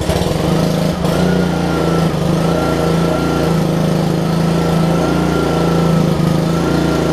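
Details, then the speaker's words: Honda GCV160 engine on a Troy-Bilt pressure washer after fitting a new HiPA aftermarket carburetor and fresh gas, run briefly with no water hooked up as a test. Smooth, even single-cylinder buzz with no surging or stumbling; runs well. "that's good man that thing runs good too like i said i'm not gonna run it very long without it being uh hooked up to water but you can do that just to test it out"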